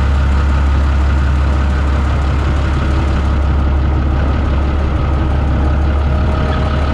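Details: New Holland TB 120 tractor diesel after the injection pump was re-timed to 29 degrees by the dealer and refitted: deep, even idle with a steady low thrum and no knock or miss; normal idle.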